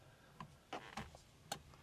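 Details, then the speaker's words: Flasher relay on a garage-find Rover P6 3500 V8 with automatic gearbox, engine off: crisp, dry indicator clicks about two to three a second in a quiet garage. The flasher is working normally. "this is indicator look just listen to that just take a moment oh appreciate that that's lovely"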